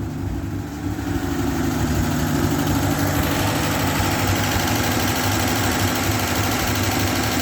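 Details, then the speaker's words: 1967 GMC panel truck six, said to run really good: a low, even idle rumble with a steady beat and no knocks, misses or stumbles. Normal idle. "But hey, she's a runner, guys, and it actually runs pretty good. It runs really good."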